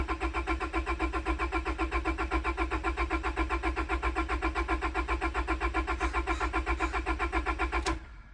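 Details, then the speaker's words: Priming crank on a wrecked, long-sitting 25-year-old Honda with ECU and fuel pump off to build oil pressure (upside-down oil filter couldn't be pre-filled): steady, even starter cranking about four turns per second for eight seconds, no firing; normal cranking. "Thankfully, the way I have this car set up, I can crank it without having an ECU or fuel pump on, so I can get oil pressure, and then we'll fire it."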